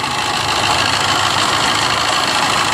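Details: Maruti Suzuki Swift Dzire at idle with a coolant leak: steady hissy whirring rush at the engine front over a faint idle, no clear knock; noise attributed to a failing water pump.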